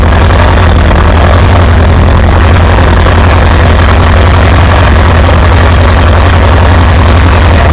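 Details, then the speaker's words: Farmall B tractor after replacing weak ignition coil: deep steady low thump, even firing, no misses or stumbles, good oil pressure; runs smooth. "Wow, not bad, not bad. Listen to that thing purr."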